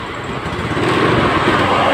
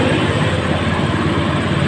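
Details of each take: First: Honda Scoopy FI scooter, fuel pressure about 20 psi at key-on and 18–20 psi running instead of 40: revving is rough and stuttering and won't climb cleanly; misfire and hesitation from a weak fuel pump. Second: Honda Scoopy FI scooter, previously sputtering and powerless, after fitting new fuel pump with strong pressure: strong steady engine note, even firing, no stumbling or misses; runs light and pulls well.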